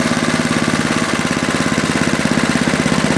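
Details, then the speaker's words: 1973 snow blower small engine, cold start at about 30°F after carburetor float-bowl drain gasket replaced and main jet removed: uneven, stumbling pum-pum chugging about three beats per second. Running rich fuel mixture. "as you noticed when it was running before it had that little pum P pum pum in it that means that it's rich on the r"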